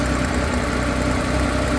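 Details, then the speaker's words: 1968 Porsche 911 L engine, rebuilt, cold on test stand: steady idle with a constant buzzy rattle, worse on one side, from carburetor throttle plates vibrating on the throttle shafts; felt and heard by hand. "the plates vibrating is what you're hearing yeah I can feel it and hear it put your finger on that gently oh wow I can really feel it not so bad on this side it's just really this side"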